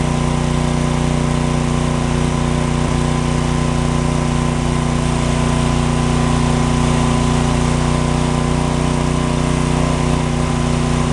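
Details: John Deere/Briggs & Stratton 4000-4400 W generator, after magneto coil repair restored spark: loud steady drone at constant speed, no misses or knocks; noisy but running properly, no outlet voltage likely from bad GFCI receptacle.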